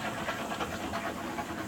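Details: Electric steam boiler at about 6-7 psi with the purge valve cracked open: continuous rushing hiss with slight water splutter and knocking as water is pushed back from the radiators through the return line into a bucket; normal purging.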